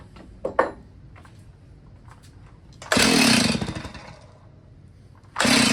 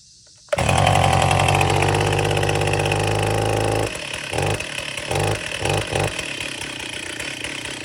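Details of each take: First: Old Stihl chainsaw that sat unused about 10 years, freshly fuelled: two one-second pull-cord rips, the engine turns over but never catches. Cranks but won't start; carburetor suspected and to be removed. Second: Old Stihl chainsaw, first start after sitting about 10 years: catches and revs hard and raspy for a few seconds, then sputters, surges in bursts and dies on its own; two-stroke running.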